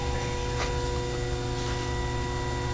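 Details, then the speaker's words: Toyota Prius hybrid with overheating and a no-start, electric water pump commanded on via scan tool bi-directional control: steady low electrical hum with a faint higher tone; the pump runs but is faulty. "I can hear the coolant pump, though, for sure. Well, we at least hear something."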